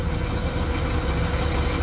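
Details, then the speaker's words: Hyster forklift with a 4.3 Vortec engine that was run out of oil and seized, now running again on 10W-30 oil. Rough idle with a dull, steady knock in time with rotation; worn rod bearing, rod knock. "I don't think that's going to help I don't think 1540 is going to quiet that up any at all"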